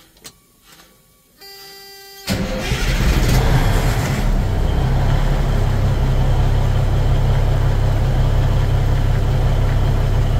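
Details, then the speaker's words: Cummins NT855 Big Cam diesel after rocker install and valve/injector adjustment, restarted to check for leaks and watch oil pressure; brief cranking, then catches into a deep, steady, even idle, no knocks; normal. "I'm pleased this punch it runs good sounds good 42 lbs of oil pressure um that's with the coolant at about 140°"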